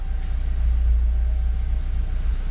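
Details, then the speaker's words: Subaru FA20DIT before walnut blasting, 15 A fuel pump fuse pulled to depressurize the fuel line: low, lumpy idle with nothing up high, running on leftover pressure before stalling. Idle on residual fuel pressure before stalling. "so let's fire up and let her die so the car will idle a little bit and then it will slowly die guys"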